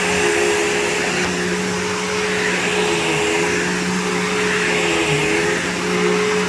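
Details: PowerForce 3522-6 vacuum bought cheap on eBay, motor running: strong steady high whine with constant pitch, only slight dips as it's moved; a smooth, healthy-sounding vacuum motor.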